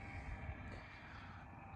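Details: Milwaukee M12 transfer pump on a fresh 4.0 battery draining a pool: steady, even low hum with constant buzz and strong vibration, no knocks or surging; running normally.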